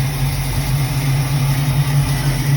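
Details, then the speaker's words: Cold start on a Mustang, idling smooth with choke wide open and no throttle input after swapping out a 1-inch spacer; steady even low rumble, no stumbles or hiss; earlier problem judged a vacuum leak. "This is a cold start. I'm not even in there feathering the gas, and I can tell you it's already 1,000% better. Oh yeah, it hasn't run this smooth, this cold, with the choke wide open in forever."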